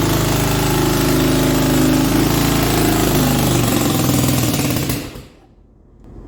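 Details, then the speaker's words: Four-wheeler quad after engine and transmission rebuild: loud, fast, choppy running that sags and dies after about five seconds; runs only on choke, owner thinks too much air, not enough fuel. "oh it's running on choke but it's not running on you're getting too much air not enough fuel"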